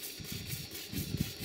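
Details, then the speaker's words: Stuart 5A model steam engine running on steam with cylinder drains open: quiet, even chuffing with a soft steam hiss on each stroke from the drains; runs sweetly at all speeds. "you can hear that the engine runs very sweetly at all speeds when it's running on Steam here's the engine running with the cylinder drains open"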